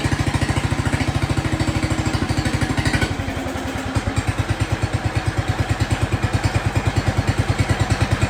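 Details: Jacobsen Chief 1200 tractor, cast-iron Kohler 301 single, after sitting about 3 years; aftermarket Chinese carburetor adjusted. Even idle thumping with a brief dip near three seconds, then back to a regular beat. No smoke; normal idle.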